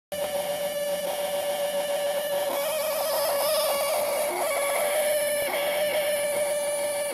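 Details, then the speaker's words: 1990 Mercedes W124, ignition on, engine off, blower set to 0, speaker removed; steady mid-pitched electrical buzz, worsening and louder over time; not the blower, nor the speaker as first thought, source unknown. "Og som man kan se, så er højtaleren afmonteret, så det er heller ikke højtaleren, der siger den lyd, hvilket jeg troede det var først."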